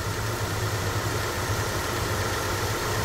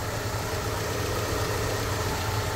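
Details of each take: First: Kia Optima at 155,081 km, engine idling with an uneven, bubbly "gagaga" gurgle as the power steering pump draws air from low fluid, heard while refilling and bleeding after a burst power steering hose was repaired. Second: Kia Optima at 155,081 km, idling after a leaking burst power steering hose was replaced and power steering fluid refilled and bled: steady, even idle with low hum, no gurgling or whine from the pump.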